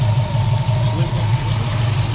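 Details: V8 after a failed distributor was fixed and the timing reset: even, steady idle with a smooth low burble and no misses or ticks. Normal idle.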